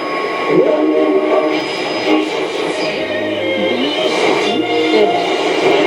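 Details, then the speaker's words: Roberts R707 radio after rebuild, FM switch cleaned to restore medium, long and shortwave, on long wire aerial: shortwave broadcast clear and steady with little hiss or fading; working. "the shortwave is working."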